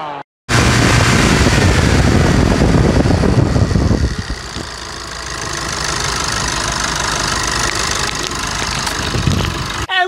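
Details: 2018 Chevrolet S10 idling after timing belt replacement: cranks, catches hard, then settles into a steady, even idle with no knocks or ticks; sounds healthy.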